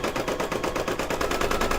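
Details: Brother DZ 820E embroidery machine, second use, stitching an applique mug rug after rewinding the bobbin: quick, even clatter of about eight stitches a second with no skips or grinding; stitching cleanly.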